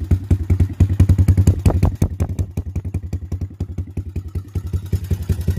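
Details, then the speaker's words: Minirocket Raptor 150 cc single-cylinder oil-cooled carbureted ATV, 182 km, on 100-octane petrol, just started: even deep thumping idle at about 3500 rpm, set up at Yamaha; runs smooth and healthy. "Takže máme naštartovanú, má krásnych 3500 otáčok."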